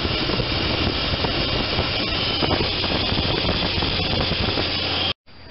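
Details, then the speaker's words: 1993 Chevy S10 with non-Vortec 4.3 TBI V6, running, before replacing alternator, tensioner and idler: faint rough grinding from the worn alternator bearing and an occasional thin squeak. "also if you listen closely you can hear a little grinding in the alternator and an occasional squeak."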